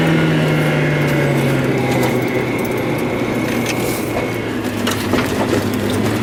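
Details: Mazda Miata under throttle: the engine note sags and fades early, then rough, uneven popping and crackle as it stumbles. Misfire under acceleration, cause not yet known.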